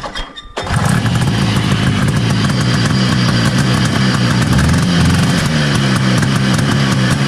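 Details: 1970 Herter's Husky snowmobile, 440 Sachs twin two-stroke, after plugs cleaned: uneven, stumbling, lumpy beat after starting, one cylinder weak; misfire, weak intermittent spark on one side suspected, points, condenser or coil.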